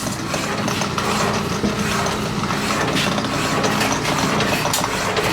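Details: Walker Turner drill press running: steady even motor hum with light gear chatter, no knocks, grinding or speed hunting; runs smoothly.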